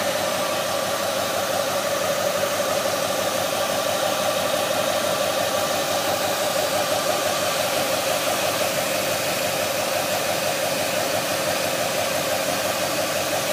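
A steady, mid-pitched whine sits under a constant rushing engine noise at even speed; something in the engine bay is whining, source unknown.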